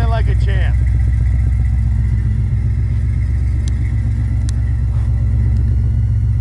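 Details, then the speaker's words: 1969 Chevelle SS big V8 started with no choke and no throttle: settles into an even, steady low burble, firing smooth and regular with no miss or knock; normal idle, "purring like a kitten". "and there you have it what did I tell you I'd have it Pur like a kitten in no time"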